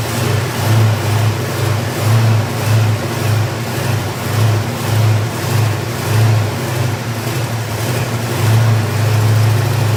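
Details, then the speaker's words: 428 Cobra Jet V8 in the Lethal Cat, first start since a 2014 engine fire: surges up and down roughly every second, never settling; carburetor bowls leak fuel, untuned carburetor needs a lot of tweaking. "we got a fuel leak but it does run because you heard it mm-hmm and this is why we have to do first we have to tweak it a lot"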